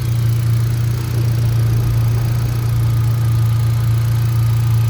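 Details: 2018 Hyundai Accent gasoline engine that cranked but would not start, running after the fuel pump relay was swapped with the horn relay, charging at 14.3 V: steady, even low idle hum with no stumbles. Normal idle.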